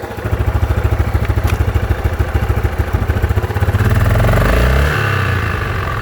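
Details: Yamaha Grizzly 660 single after a rebuild with a new Hot Rods crank and Wiseco piston: a rhythmic clattering tick about three per second that rises briefly when revved. Engine noise, cause unknown.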